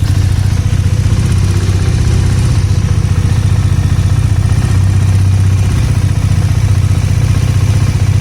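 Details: 2019 Bajaj Dominar single-cylinder at steady idle: light uneven top-end tick on each beat; engine head was replaced under warranty, and later ticking is considered normal by design; cause not pinned down.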